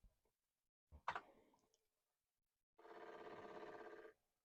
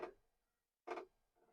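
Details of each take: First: Commodore 1541 floppy drive, opened and recently lubricated, after sitting for decades and needing repeated commands to revive: soft thump then fast, even clicking chatter as the head steps normally while formatting a disk. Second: Commodore 1541 floppy disk drive, unused for decades, powered on connected to a Commodore 64: two sharp mechanical clunks about a second apart as the drive head bangs against its stop, not reading yet.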